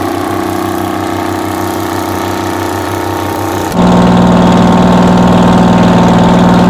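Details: 60-year-old US-imported Massey Ferguson 98 tractor with factory Detroit Diesel GM 3-71 two-stroke, after significant restoration: steady, even diesel beat that steps up sharply in speed partway through and holds smooth; normal running.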